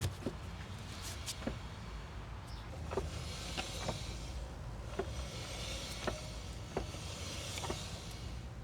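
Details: Tesla Model Y rear brakes while driving: sharp clicks and short squeaks about once a second over quiet road noise; cleaning and burnishing the brakes did not help; cause unknown.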